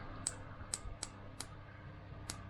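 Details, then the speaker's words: 1969 MGB dry-stored since 2001, distributor spark test: the spark tester's earth was moved from the distributor body to the earth strap and the shaft rotated very slowly. Five sharp, crisp snaps show a strong, healthy spark of nearly a centimetre. "bad Earth to the distributor body so we're getting a nice big healthy spark there and you can see that's about getting on for centimeter"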